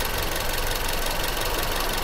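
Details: Toyota Corolla GLI, 2012/2013 model: uneven stumbling idle with a hissy, crackly hash over the engine note; engine misfiring, a cylinder dropping out.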